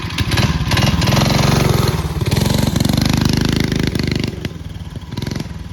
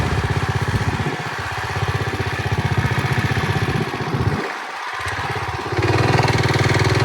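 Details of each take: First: Early-1970s Pacesetter Trailbuck mini bike, small single-cylinder engine, test ride after replacing a failed torque converter and re-setting it for jackshaft use. Pulls cleanly through rising and falling revs with no slipping or bogging, drive now working properly. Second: Early-1970s Pacesetter Trailbuck mini bike on a test ride after fitting a new torque converter not set up for jack-shaft use; engine drones steadily and never pulls up in pitch, won't climb to speed or accelerate. Torque converter slipping.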